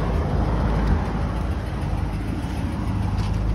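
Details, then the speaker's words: 1985 Mercedes 500SEC V8 at idle: deep, even, steady burble with no misses or hunting; a new catalytic converter was fitted, and it was much louder before; normal idle. "and it's steady. I hear it rev a little bit."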